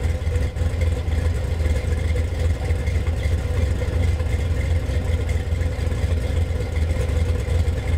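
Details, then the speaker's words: Budget Gen VI L29 454 big-block V8 with factory ZZ502 hydraulic roller cam, on engine stand, warming toward 180°: deep, even rumble, no ticks or knocks; freshly built engine running clean, normal. "nothing sounds good that was real nice he stays relatively cool"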